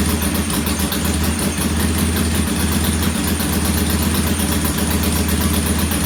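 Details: Norton P11 vintage British twin at first kick-start after a full carburettor strip and fresh gas: lumpy, uneven idle that stumbles and hunts; one pilot jet isn't following adjustment like the other side's, partly blocked, to be cleaned once more.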